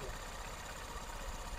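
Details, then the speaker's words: Honda TMX Supreme full-wave motorcycle, mic near engine, with faulty charging system (not charging, per regulator/rectifier tests): uneven, slightly lumpy idle with a dull knocking pulse, attributed to the charging fault. "Pag sira yung charging natin, nasira yung charging, may epekto yung makina natin. Ito yung tunog niya, magiging tunog niyo ha."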